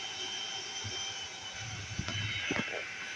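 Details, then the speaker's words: CNswipower inverter at about 130 W running an air conditioner: constant high-pitched cooling fan whine over airy rush with a few handling clicks; fan running normally but loudly, louder than the AC. "you can see all the noise you're hearing is coming from this inverter going about 130 Watts running the air conditioner right"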